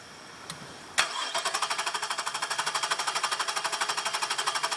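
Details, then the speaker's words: 2002 Nissan Quest 3.3L with intermittent misfire, cylinder 4 misfire and knock sensor codes: sharp crisp snapping about three times a second as spark arcs from the side of the ignition coil to ground; distributor replaced. "what you're going to see right here is you're going to see spark jumping out of the side of the coil to ground right there"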